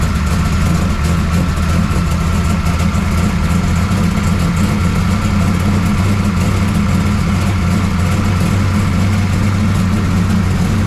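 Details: 1969 Camaro pro street V8 after Holley carburetor rebuild and ignition timing adjustment; deep steady burble at idle, even firing, no misses; runs pretty good, valve lash still to check.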